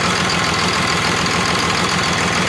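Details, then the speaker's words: Cummins diesel with Allison transmission from an old bus, sat outside about 3.5 years, first start on the frame; uneven, lumpy idle with one cylinder not pulling because air is still in its injector line, misfire. "all right we got it close now that should be it we still got one got air in it still"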